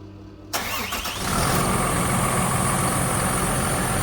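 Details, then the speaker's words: 2017 Hino truck diesel after main and chassis fuel filter replacement, started to run 3 to 4 minutes to bleed air: start-up catch then steady even diesel clatter at idle, no misses; normal. "We're gonna start the vehicle, and we're gonna let the vehicle run for 3 to 4 minutes."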